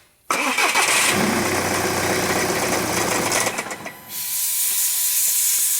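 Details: 2009 VW Jetta TDI, CBEA diesel, no codes, with the exhaust opened after the DPF: catches instantly, runs roughly about three seconds, then dies, pointing to a clogged DPF restricting the exhaust.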